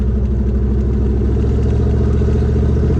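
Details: C4 Corvette, cheap neglected car, warm idle with open-header sound: deep, loud idle with uneven loping low-end pulse, holding 33 psi oil pressure; it idles "ish", runs-ish — rough idle.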